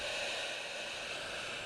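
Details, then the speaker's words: Harvard 410T CB handheld repaired after reverse polarity damage (audio IC, smoothing capacitor, 3357 replaced; PLL survived): steady even hiss, no crackle, dropouts or squeal; receiving normally on frequency. "It's on frequency. And there we have it. It's working, finally."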